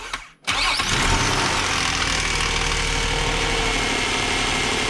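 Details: 2003 Nissan Altima 3.5L V6 after valve cover gasket and spark plug replacement: quick crank, catches at once, smooth even idle with no stumble or ticking; normal idle.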